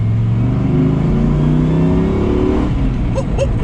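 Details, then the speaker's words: Nissan Patrol with LS1 V8 swap under full-throttle acceleration after fixing a wiring fault that caused cut-outs; smooth climbing engine note with no stumble or cut-out, running properly. "oh we fixed it speed bump does it cut out no put to the floor oh my god i think we fixed it guys"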